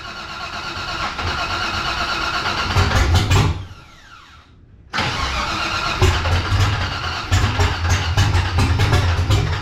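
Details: 1984 Cutlass G-body, procharged LS swap on Holley Terminator X EFI, idle screw turned up: V8 cranks and catches, runs rough and uneven, stumbles nearly silent then picks back up; won't hold idle, owner suspects throttle body not getting enough air.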